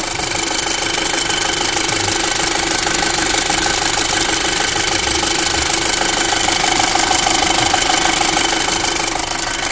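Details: 2005 VW MK5 GTI 2.0 TFSI at steady idle with a regular light knock about twice a second over the running note; cause unclear.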